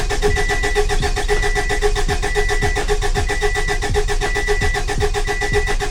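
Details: Subaru Baja Turbo, freshly rebuilt engine, first start with fuel pump fuse pulled: starter spins engine steadily, about two compression pulses a second, no firing; normal no-fuel crank priming oil until the oil light goes out.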